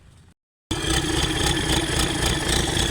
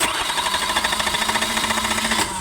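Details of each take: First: Newly overhauled Isuzu 4BD1 diesel during break-in, starter wired manually with added grounds after earlier no-start: after a brief silence it fires and holds a steady, fairly even clattering idle with a faint high whine throughout. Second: Newly overhauled Isuzu 4BD1 diesel, relay bypassed and starter wired manually with extra grounds added: starter churns steadily at about nine compression pulses a second but never catches; owner suspects no fuel or a weak starter.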